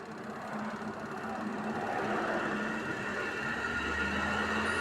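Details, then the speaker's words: LG 13 kg twin-tub washing machine, complaint of weak spin: spin-dry motor rises with smooth hum, steady tone, no scraping or knocking; spin tub works normally, fault is in the wash tub, which won't turn. "โเคได้ยินเสียงนะครับอันนี้คือถามปั่นแห้งน่าจะทำงานปกตินะครับมีปัญหาที่ถังซักนะครับ"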